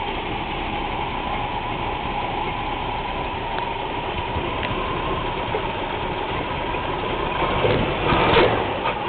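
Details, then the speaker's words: 1980/81 Chevy C20 3/4-ton truck, 350 (5.7) V8 with Quadrajet carb, running cold: lumpy, uneven idle with occasional stumbles. Rough cold idle; owner says it badly needs new spark plugs. "least oops not [Music] happy a little cold right now so heard that sper before need new spark plugs"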